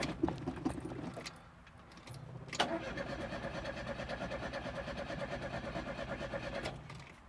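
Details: Classic Fiat Spider after fitting an electric fuel pump with relay, fuel now flowing, choke may need adjusting: steady starter churning about two beats a second for four seconds, never catches; cranks, no start, owner suspects flooded cylinder.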